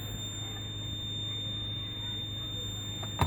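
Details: 1999 Lexus GS300, 257,000 miles, at idle with no brake assist and brake warning lights on: constant high-pitched warning buzzer from low ABS accumulator pressure; ABS faults stored, ABS modulator assembly later replaced.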